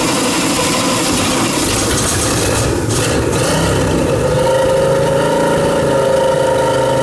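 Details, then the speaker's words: Shoal Runner jet boat engine, first start after the boat sat flooded with rainwater and mothballed: rough running with uneven knock about four per second under loud clatter; plenty of oil pressure, owner fears dry crank or bottom-end bearings. "well that crank sounding awful dry that's what that is it's got plenty oil pressure i don't like the way it sounds"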